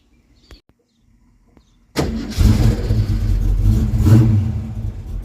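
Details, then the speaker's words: Jr's Mustang project car, voltage regulator removed, started with a slightly newer Duraspark box after the original box gave no spark: catches straight away and revs cleanly with a firm, even note; the coil is firing; normal start and rev. "Okay, that worked. That's a good sign. I like it. Uh, that means the coil's firing at least for now."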